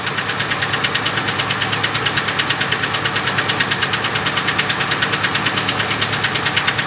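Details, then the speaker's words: 1997-2000 Ford F150 4.2 started after replacing spark plugs and ignition wires: sharp regular ticking about three times a second over an uneven idle; still running rough, more issues, cause unknown. "all right guys we definitely got more issues if you want to find out let me check this off okay this video is part of us diagnosing a running rough when this car"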